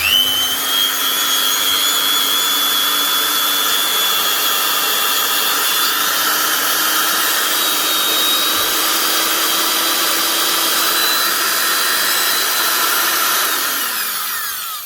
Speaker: Working. It sounds all right. It looks even better.